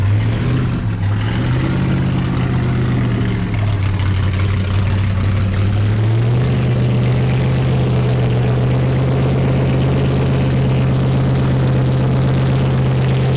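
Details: Wrecked C6 Corvette Z06 V8 with Texas Speed heads and cam, after cam timing correction: idle hunts up and down for a few seconds, then settles into a steady, lumpy big-cam idle that keeps running.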